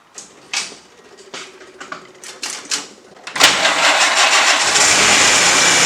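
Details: 1946 Willys Jeep after installing new fuse block and fuel pump wiring: scattered clicks, then engine fires at once and settles into steady, even run; clean healthy start.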